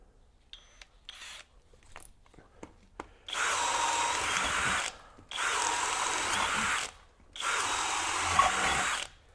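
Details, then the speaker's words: Kobalt KHD124 24V brushless hammer drill in drill mode, speed two, boring pressure-treated wood with self-driving auger bits; three strong even bursts of high motor whir, no burping, grinding, bogging or stalling; healthy under load. "we shouldn't hear that kind of burping noise or that grinding noise okay no problem at all even in speed two"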